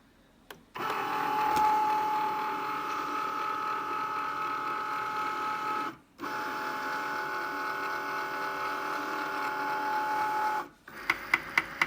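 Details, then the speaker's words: New Cricut Maker cutting machine on first use: carriage motor hums in steady runs, then a quick series of sharp knocks as the carriage moves back and forth. "it's making a knocking noise when this device moves back and forth across here"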